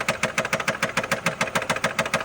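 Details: 2012 Nissan Altima 2.5 L engine knocking at idle: sharp, even knocks about seven per second from the bottom end; connecting rod bearing suspected, not confirmed.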